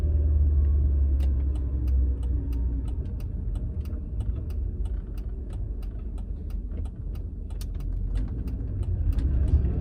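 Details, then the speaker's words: Mercedes C55 manual swap with stiff Delrin shifter mounting, driving; loud low drone and gear whine fill the cabin with light ticking, transmission and engine noise carried into the cabin, likely through the stiff shifter bracket. "you can probably hear on camera how loud it's making the just overall drive train um transmission is like every noise from the transmission is just being brought straight up into the cabin"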